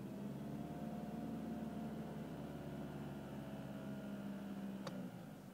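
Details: BMW E46 with N46 (N42) engine at about 2,200 rpm: steady engine drone with buzzy mid-pitched hum, no knocking; caused by the steering column's crash-break bolt working slightly loose, noise gone after bolt replaced.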